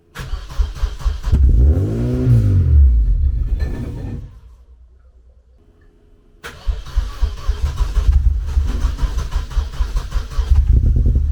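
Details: First start in nearly two years after work awaiting a machined manifold, microphone at the exhaust: revs up briefly, dies to near silence, then a second attempt catches into a lumpy uneven run; reluctant start.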